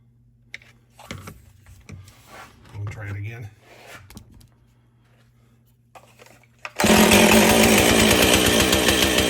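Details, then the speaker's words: Husqvarna 450 two-stroke chainsaw after rebuild and swap to a Hipa spark plug: quiet handling, then fires and holds a loud, crisp high rev; running healthy. "w that sounds a lot better so I'm not sure how long the hip of plug will last with"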